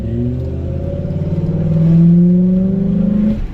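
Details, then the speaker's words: Ford 5.4 3V truck taking off: heavy drone, pitch climbing only slowly over three seconds, gutless and bogging as if flooded or exhaust plugged (suspected, not confirmed); also throws a power steering pressure sensor code. "Goes nowhere. It's just so slow, like it's just flooded."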